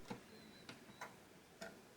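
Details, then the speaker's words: PS2 disc drive after repairing a sticking tray, drive reassembled with lid and bezel: soft scattered mechanical clicks and faint high whine as the tray cycles, clean and unobstructed, working first time and repeatedly; normal disc tray opening. "I think we've done enough testing now to say that this console's drive tray is now working correctly."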